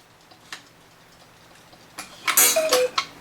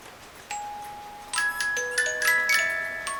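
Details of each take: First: 8-day Black Forest cuckoo clock with auto night shutoff, after servicing and refitting the back: brief cuckoo call with a dull dead thud instead of a ringing gong; gong out of position. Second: 8-day Black Forest cuckoo clock with auto night shutoff, after cleaning and oiling: clear plucked tune at an even tempo with the bell, notes ringing cleanly with no drag or skips. Music box and bell operating normally.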